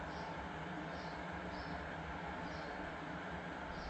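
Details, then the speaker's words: Hampton Bay 7107-03 bathroom ventilation/exhaust fan, 110 CFM, rated 1.5 sones, installed: soft, even airy whoosh with a faint steady hum, no rattle or scrape; quiet, strong, normal running. "So let me turn it on so you can hear it. It's fairly quiet, and best of all, it's nice and strong."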